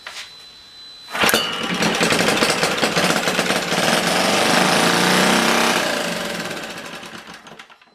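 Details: Old, worn Clinton B704 single-cylinder engine, throttle linkage tied to hold about 1/2 to 3/4 throttle: sharp catch, a few seconds of ragged high-pitched buzzing, then it fades and dies with a puff of smoke; fires on primed fuel but won't keep running.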